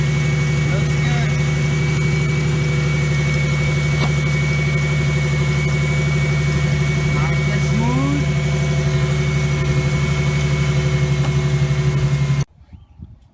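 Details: 2005 Ford Mustang, first start after fitting a new belt and belt tensioner: engine settles into a smooth, steady idle with no belt chirp or squeal.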